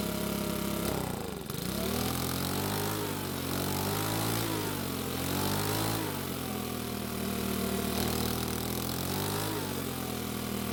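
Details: Makita four-stroke leaf blower that would not start, repaired after a carburetor part was lost. Steady buzzing with revs drifting gently but holding; a bit cold-natured, but runs well once at normal temperature.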